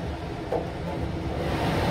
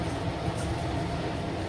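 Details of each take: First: ILG B-30 blower on 250 V with restriction plate removed, drawing about 3.4 A: heavy rising rush of air swelling to a loud steady roar; running wide open without back pressure, still within motor spec. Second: ILG B-30 blower running with its restriction plate fitted for back pressure and quieter running: steady, even low rush of air with no knocks, rattles or rising whine; normal smooth running.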